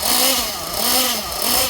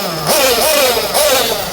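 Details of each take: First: Jammin JPX 21 nitro engine with Pico head in an RC truggy, warming up from 149 degrees: high buzzy note swells and falls, dropping cleanly to steady idle each time, thick exhaust smoke; normal return to idle. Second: Jammin JPX 21 nitro engine with Pico head in an RC truggy, just warmed up, carb tune on the rich side: thin high buzzing idle wandering up and down; slight two-stage idle, owner expects it to stabilise once hot.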